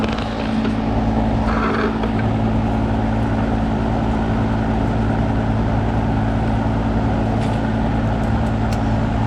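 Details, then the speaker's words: Carrier AC condenser on a no-cooling call, fan blowing: loud steady low hum as the compressor tries to start but stalls; capacitor suspected and checked next. "fan blowing but i don't think the uh compressor is running feel like this cool this cool air blowing i don't know if you heard that you can hit a compressor trying to start"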